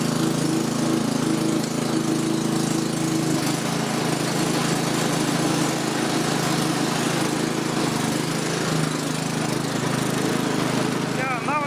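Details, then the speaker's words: Restored Victa 526 two-stroke mower with a rebuilt spindle, new bearings and a repainted deck, said to be a bit hard to start when cold: steady, even drone at constant speed with no misses or knocks; running cleanly. "oops no putting too much stress on the motor still okay all right now but it did sound pretty good"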